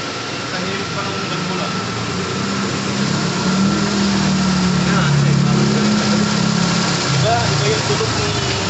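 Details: Toyota GLI 4A-FE automatic after cam timing correction, idling (previously hard starting, noisy, cold idle high, dying when shifting R/D): steady low hum, even firing, no knocks or shaking; idles smoothly.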